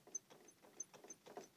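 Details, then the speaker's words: Steering-wheel rattle on a 1999 Renault Kangoo: light dry clacks about three a second as the wheel is rocked, also rattling over bumps, from a worn steering shaft universal joint (cross) under the pedals; fix is replacing it. "Слышно, да, как тарахтит все это дело. Это выходит из строя крестовина на рулевом валу."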